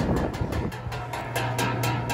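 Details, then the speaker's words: Air conditioning outdoor unit at startup, sharp regular ticking about four times a second over the unit's hum as the condenser fan blade strikes something, an installer mistake. "condenser fan motor is hitting that looks like I effed up a little bit"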